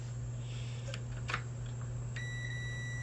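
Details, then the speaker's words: Ninja Foodi Smart Lid, multimeter on the lid switch: silent when the button is pressed, steady continuity beep when unpressed, so the switch works in its normally closed position; normal lid switch continuity. "the button it's pressed so it doesn't sound when it's unpressed it sounds so it's working in normally closed position"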